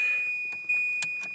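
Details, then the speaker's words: Volvo 940 wagon being prepared for V8 swap, wiring harness cut, humming relay removed: steady high electronic dash chime with light clicks; brake light warning comes and goes though brake lights check fine, cause unknown. "Oh, that beeping. I got the dash, I might take that out."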